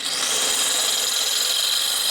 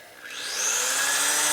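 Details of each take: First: Drilling out a hard, heat-treated set screw on a 1999 80ci Evo chopper with a dull bit: high, steady rubbing whine for about three seconds with no cutting bite, then winds down; the bit turns the correct direction but the dull drill is not cutting. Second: Drilling out a heat-treated set screw on a 1999 80ci Evo Harley chopper at kept-down speed: drill spools up with a rising whine, then settles into a steady even cutting hiss as the bit cuts a good chip.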